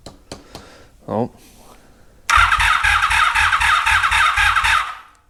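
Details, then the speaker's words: 1983 Honda Magna V45 on the charger with an intermittent electrical fault and inconsistent voltages. The starter turns the engine at a steady beat for a couple of seconds without catching and a warm smell follows; crank no-start, cause unconfirmed. "I'll be right back um let's see what happens again we have electrical Gremlin loud noises yeah"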